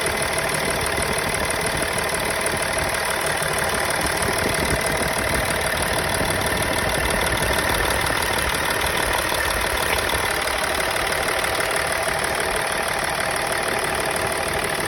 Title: Misfire when maf pluged in